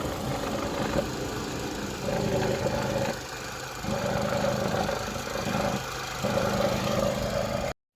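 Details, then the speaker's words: 2010 Vauxhall Meriva 1.4 petrol after fixing a wiring fault on one injector: steady idle with the engine cover off, a light top-end rattle, no missed beats. The misfire is gone. "that is the injector issue now salted the car runs absolutely lovely with no misfire anymore"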